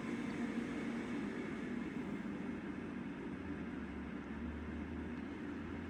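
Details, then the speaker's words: Fresh Ventilation inline centrifugal fan turned down to about 50% speed: very quiet, steady airy hum, barely audible standing next to it, no rattles or wobble. "So, there it's running at about 50% speed currently. You can only just hear it when you're standing next to it."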